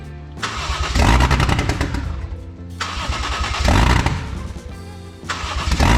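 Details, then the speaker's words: 1JZ-GTE VVTi swapped into Lexus IS300, first start attempts: engine catches, runs rough a couple seconds, then dies, repeating with erratic rhythm; stalling after start possibly from missing airflow-meter (MAF) signal. "so it's starting watch your phone it's running for a couple seconds kind of sounds like crap and it's just dying it's it's honestly really weird what it's doing"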